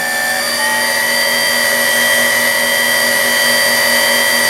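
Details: Deckel S5 universal tool and cutter grinder, dual-drive spindle on a frequency drive, speed raised from about 4,000 and kicked up to 45: steady high whine with clean tones, smooth and even with no knocks or grinding; spindle healthy.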